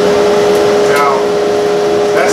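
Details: Central Machinery (Harbor Freight) high-flow dust collector after its seized motor bearings were replaced with SKF Explorer 6205 and 6204: steady, even hum with one constant tone and no knocking, rumble or bearing growl; normal running.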